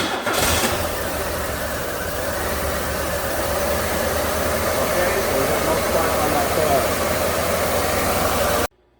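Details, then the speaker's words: 1994 Buick 3800 tuned port, pre-OBD2 with no misfire counting, running very poor: lumpy loping idle with missing pulses; one coil pack not firing its two cylinders, coil or ignition module suspected. "so i think this coil's dead so on these old girls pulling the spark plug wires off like this and creating that air gap about the width of your thumb is a natural spark tester so when i start it that coil should be firing"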